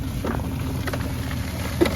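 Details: SaltDogg SHPE2000 auger salter after clearing chunks jammed against the spinner blade: even low rumble with light ticks from salt passing through, no straining or stalling; normal auger running.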